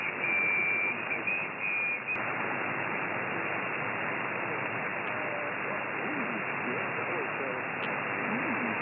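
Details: GA-450 active magnetic loop antenna received via SDR with its internal switching power supply running: steady hiss with thin whistling tones that drop out after two seconds as the supply is moved away from the antenna; switching power supply RF interference.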